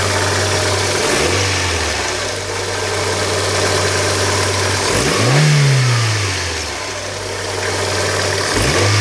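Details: 2000 Hyundai Coupe 2.0 idling, then blipped twice: the note rises and falls with revs, with an odd extra noise underneath; abnormal engine noise, cause unclear.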